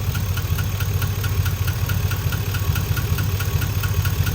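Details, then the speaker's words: Warm GMC truck V8 idling with a light, steady tick over a deep rumble, heard only on the driver side toward the rear; owner suspects a lifter, not confirmed. "it definitely sounds like it's going to be one of these back here cuz I definitely don't hear it over here it's it's 100% on this driver side"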